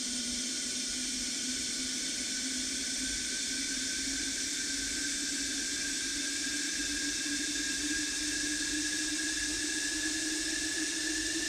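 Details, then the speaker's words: Kawasaki KRX1000 fuel rail flow test, pump powered and both injectors jumpered open into marked bottles: steady even spray hiss over constant pump hum. "then we'll open up the injectors with those jumper wires to continue the flow evenly between the those two fuel injectors and we'll see what happens"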